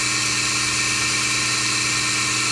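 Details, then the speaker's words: Melasty single-cow milking machine vacuum pump after fluid got in, cleaned carbon vanes and muffler, reassembled: smooth, even high-pitched whir at a constant note, no knocks or rattles, holding pressure fine. Normal running. "now that sounds way better holding pressure just fine I'm not hearing any sort of flinking or"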